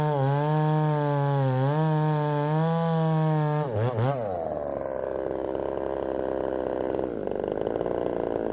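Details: Ported Poulan 3750 chainsaw, after the loose exhaust was retightened, tune unchanged: a high buzzing idle wavers, dips sharply, then stumbles into a rough uneven run. The idle won't settle and richening seems to load it up.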